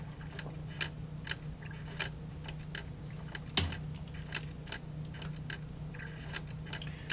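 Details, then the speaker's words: Trash-picked 1990s/2000s JVC PC-X560 boombox CD player, mic close: light irregular clicks about every half second over a faint hum as the drive keeps searching and fails to read the disc. "Okay, you can hear there, it's kind of searching, and it keeps searching. If I press the next track, sometimes it'll just go ahead and play."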